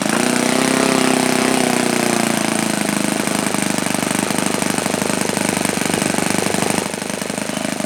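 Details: OS FSa-110 four-stroke glow model engine, well-worn, run after connecting rod replacement: fast buzzing exhaust note sags in pitch early, then holds a fairly even beat; engine running.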